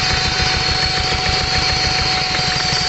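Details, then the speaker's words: 2004 Hyundai Santa Fe Gold with low power and stalling: lumpy, uneven idle, rhythmic stumble about three times a second, engine visibly shaking. Misfire from dead cylinders. "Ayan mga kalbaryo ah narinig naman natin at nakikita naman natin na ang makina ay talagang nanginginig"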